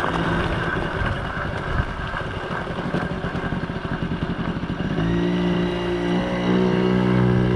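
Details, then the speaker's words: 1980 Yamaha QT50 two-stroke moped on its test run after its first start in eight years and many new parts: pops along at about four beats a second, then settles into an even buzz. Runs good, nice and quiet, no issues. "yeah runs good definitely no issues so nice and quiet"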